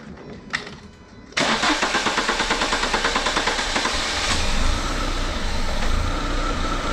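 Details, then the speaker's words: Renault Clio 182 Cup during an upper cylinder head clean: it cranks briefly, fires abruptly, then stumbles at a lumpy idle pulsing about three a second as cleaner is sprayed into the intake and the idle air control compensates. "So if I spray up here, it doesn't like it, but you can hear the idle air control kicking in."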